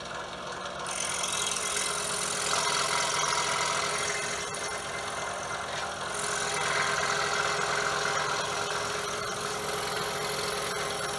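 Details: DeWalt saw at setting 5, about 1171 strokes per minute, cutting with a No. 2 crown tooth blade after bolts secured with blue Loctite: steady even hum, no knock or rattle; knocking noise gone.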